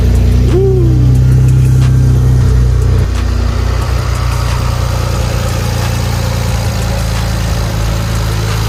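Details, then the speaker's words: BMW 335i cold start after sitting a couple of days, just after installing a VRSF charge pipe, blow-off valve and VRSF cone filters: the starter catches, a brief rev settles into a steady, even idle with no knocks or misses, a healthy cold start. "We're gonna get a cold start. It's been a couple days since the car's been started, so we're gonna get that cracking."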